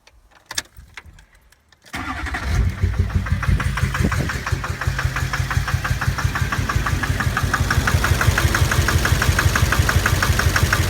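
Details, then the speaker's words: 2006 GMC Duramax LLY/LBZ diesel V8 after bad fuel: starts and idles with a hard, heavy knock about three a second, like a helicopter, blowing black smoke; a failing injector, found by unplugging injectors one by one and later replaced. "Yeah, you can hear that sound. It's knocking pretty good. It's just sitting at idle and blowing smoke. It sounds like a helicopter."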